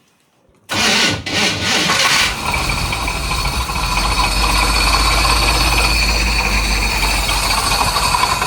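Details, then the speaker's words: 1983 Chevrolet C10 parked since 2002, with a new distributor and a used starter: the starter turns over with a laboured, uneven rhythm before the engine catches into a rough idle; slow cranking, and owner suspects the timing is slightly off. "It's like the starter struggling so the timing may be off a little bit."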